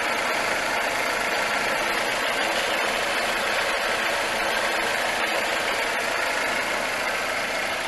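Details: 2005 Suzuki Reno (Lacetti), D-Tech 16-valve engine with new idle air control, alternator, fuel pump and water pump, AC turned off: steady even idle under heavy hiss, no knock or misfire; normal idle.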